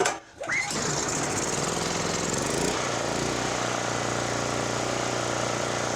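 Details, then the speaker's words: Generac GP5500 generator brought in for a no-start; pull start catches, revs up and settles to a steady governed drone with no misses or surging, loud: normal running. "Man, that thing is loud."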